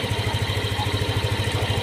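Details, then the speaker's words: Yamaha Aerox/NMAX scooter at idle, side cover off, once very hot: a light metallic marble-like rattle over the engine thump, absent when cold. "ayan yan mga tropa yung parang jol na tunog niya Ayan kung maririnig niyo ah Lalabas lang siya mga tropa pagka sobrang ingay na nung sobrang init na nung makina"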